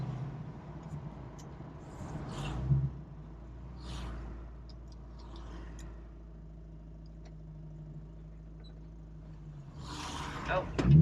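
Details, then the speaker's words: 1968 Ford Mustang Fastback with 4-speed manual, learner driving: deep labouring low drone, engine barely turning and shuddering under load; lugging from too much clutch and too little throttle, described as pistons rattling. "Because that noise you're hearing, you really don't want to hear that noise. Okay. Yeah, that's bad for the engine."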